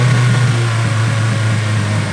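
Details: Nissan Silvia S14 (EBISU) with HKS cams, misfiring: low, steady idle with slight unevenness, lumpy and struggling to settle; owners suspect a small vacuum leak, MAF also questioned.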